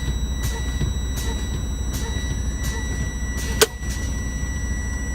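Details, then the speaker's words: Diesel truck idling during a pre-trip inspection, brakes pumped down to drain air pressure: continuous low-air warning tone, then one sharp pop as the red spring brake valve pops out at low pressure. Normal safety function. "Now, you heard that pop? That was that red line coming out. Because once it gets down to a certain level, that red line, that red air line here should pop out."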